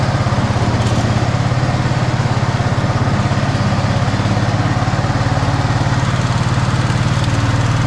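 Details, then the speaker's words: Snapper Yard Cruiser 42-inch zero-turn mower, first start after mouse-nest cleanup on a battery that sounded like it was failing: steady, even chuff from the small single-cylinder engine settling into a clean smooth idle, no misses or knocks, blowing junk out the back; normal idle. "It seemed like it runs pretty good. It was blowing a little bit of junk out of the backside here."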